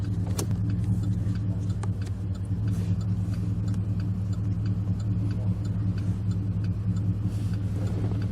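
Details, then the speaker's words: 2006 Chevy Impala SS LS4 warmed up after spark plug service and repairs for codes P0118, P0300, P0307, codes cleared: steady smooth low idle with no knocks or misses; normal idle. "it's nice and warmed up now we brought it back to him and running shape"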